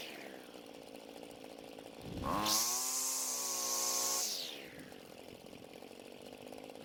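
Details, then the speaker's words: Homelite string trimmer after fixing its no-start and adjusting the carb L and H screws. It revs smoothly to a steady high whine with no bogging on quick throttle squeezes, then drops back cleanly; now running right. "now luckily it responded to the adjustments well and now it's running just the way we wanted to"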